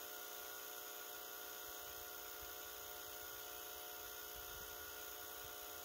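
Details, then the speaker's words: Residential heat pump: loud, steady buzz from the reversing valve solenoid coil, caused by a bad thermostat not supplying proper coil voltage. The valve also leaked at a broken capillary tube; the valve, coil and thermostat were replaced. "the thermostat was bad and it was not outputting the proper voltage for the reversing valve coil and that's why I heard this terrible noise which you're gonna hear now"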